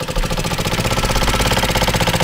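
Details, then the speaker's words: Honda Ruckus 50cc four-stroke liquid-cooled engine, previously seized, first run after revival. Fast chuffing idle with a dull, choked exhaust note, barely holding on, smoke from the muffler. Owner suspects a clogged muffler restricting airflow. "We got something coming out of the muffler. Uh-oh. It's gonna die. I think it's clogged. I think it's really clogged."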